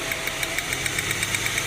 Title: Engine misfiring without check engine light in the cluster. Ford Falcon BF 2006 model.